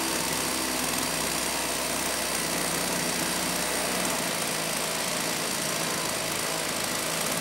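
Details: STIHL 028 AV Super chainsaw, non-OEM amateur rebuild after straight-gas burnup, first start after choking; high screaming fast flat buzz with little low end, running lean, sounded better once low speed screw opened; crankcase air leak.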